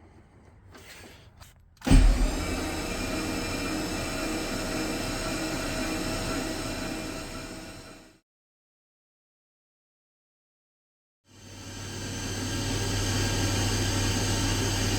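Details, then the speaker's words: 6L LQ4 V8 swapped into an XG ute, cranked with no spark plugs and no intake manifold to build oil pressure: steady, even starter whir for about six seconds, pause, then again; engine spins freely and speeds up as oil pressure builds; normal cranking. "I actually heard the motor start spinning faster as it made oil pressure, so that was kind of cool."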